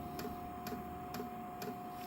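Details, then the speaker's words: Vevor diesel heater starting up at about 12.1 volts with glow plug heating: sharp regular ticks about twice a second over a steady fan hum; fuel dosing pump clicking normally. "You can hear that clicking. The fuel pump is now pumping fuel into the heater."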